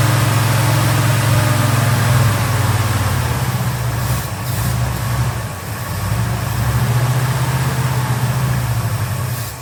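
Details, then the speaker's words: 1971 C10 V8 that had no fuel in the carburetor bowl (accelerator pump or stuck needle and seat suspected), bowl filled; strong steady rumble with a slight dip on throttle, engine now runs. "about to crank it over get the bowl full and hopefully we got pump shot see what happens Ah that's the sound we want to hear"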